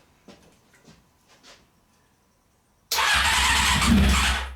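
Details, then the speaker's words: Honda CBR600 with starter fluid sprayed in: after a pause the starter spins the engine with a steady churn for about two seconds. It seems to want to fire but never starts and winds down. "so yeah you can tell that it really wants to fire up and if I'm not putting that much starter fluid in here"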